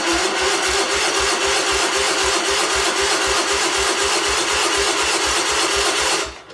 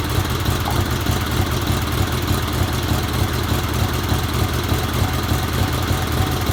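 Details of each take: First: 1977 Sears 16/6 tractor with an Onan engine, after carb rehab, new plug wires, solenoid and used points: the starter churns slowly, about four strokes a second for six seconds, with no firing. Cranks without starting; spark untested. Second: 1977 Sears 16/6 tractor with an Onan twin after a rehab (carb work, new plug wires, starter solenoid, used points, original GT18 coil and points, old fuel left in): steady, even low rumble with no misses or knocks, running well.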